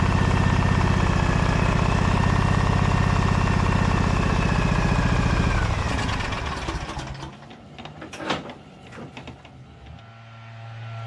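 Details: Briggs & Stratton Vanguard 23HP V-twin: even, steady low thrum at a quick regular beat for several seconds, then a smooth wind-down at shutdown. Runs nicely.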